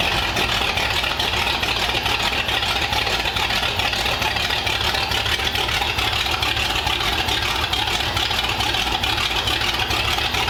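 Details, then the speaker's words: 1932 Ford Roadster engine installed in the car with headers routed under the car, running for the first time since about 1953: even steady idle, smooth exhaust note, no knocks or misses; normal idle. "it sounds healthy it sounds awesome I know we ran it on the Run stand but having it in the car with the pipes going down under the car it sounds awesome and it just idles really really well"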